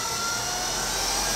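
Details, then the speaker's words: Treadmill motor on the bench, driven by its own control board with the speed pot turned all the way up: steady high-pitched whine with an airy rush; at full speed a safety circuit shuts it down after a moment, possibly due to a broken ground lead. "let me demonstrate that for a second little noisy here all the way up"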